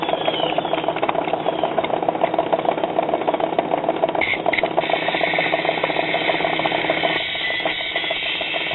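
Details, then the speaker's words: 1952 Sears Silvertone one-tube record player on first power-up: no music, only thin scratchy needle hiss over turntable rumble and a repeating bump from a dented drive wheel; amplifier works, cartridge is dead, to be replaced. "yeah it sounds like i'm getting nothing from the cartridge"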